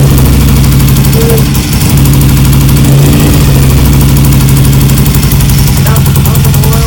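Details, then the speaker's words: BSA Lightning twin, first start after years of neglect, carbs and timing not yet adjusted: loud, even low twin-cylinder thump at steady idle, no knocks or rattles; engine sounds good and tight. "The engine sounds good and tight."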